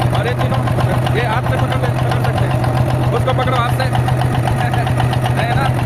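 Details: Cold six-cylinder diesel idling with a low drone and an uneven, lumpy beat about four per second; three of six injectors dead, found by feeling which injector lines stayed cool.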